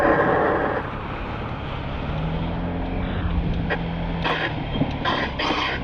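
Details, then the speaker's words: Scooter riding in the rain: sudden loud metallic grinding/scraping bursts from the front, less frequent except at sharp lean or when the suspension bottoms out; cause was a nail through the front undershield. "While riding to work in the rain, a loud and sudden metallic grinding noise came from the front of my"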